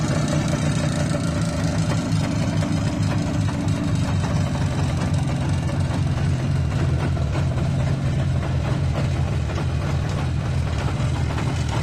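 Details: IZh Jupiter 5 two-stroke motorcycle: low idle drone with a faint metallic ringing knock on top; suspected piston knock, not confirmed.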